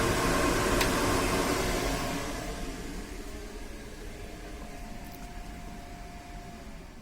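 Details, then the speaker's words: Van roof intake/extractor fan, about nine inches wide, on a PWM speed controller set to extract from a motorbike battery: loud, even rushing whoosh flat out that eases down as speed is turned lower; normal fan, just too loud at full speed. "flat out is just far far too loud it's not a large it's only about nine inches wide the fan so obviously the motor is designed to run like a mad thing in order to get the air out through it"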